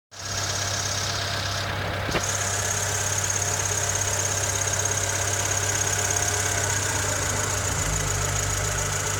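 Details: Honda Civic EK3 with D15Z6 engine at idle: fast, fairly even ticking knock over the engine hum, steady with revs; internal engine knock, cause unclear.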